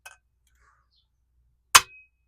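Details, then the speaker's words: 1969 Honda CB350 cylinder head, valve struck with a hammer to check for seizing: a clear, ringing metallic ping rather than a solid thud, and the valve is felt and seen to move, so it is free, not seized. "and you can feel it move and see it move. So, this one's good. That one's good. They're all good."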